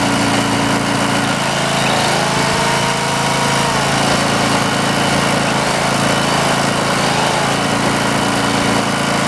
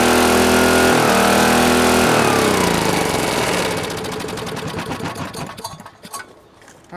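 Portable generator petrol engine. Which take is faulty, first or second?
second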